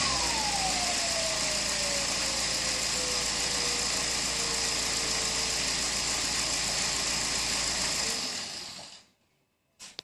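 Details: BMW E60 2.0 diesel engine with turbo whine: a thin whistle slides steadily down in pitch under a loud hiss in the engine bay.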